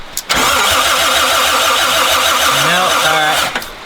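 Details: 1972 Toyota FJ40 Land Cruiser, sat about 40 years, after closing up the points: about three seconds of steady cranking with no firing, then stops; no spark, power reaching points, traced to points and condenser needing cleaning.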